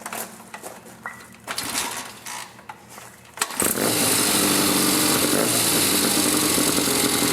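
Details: 1972 Triumph Tiger 650 twin, which would not stay idling, after the Amal carburetor was cleaned and the points regapped to 15 thou; it had been parked a while. After some clatter it fires and holds a steady, fairly even idle.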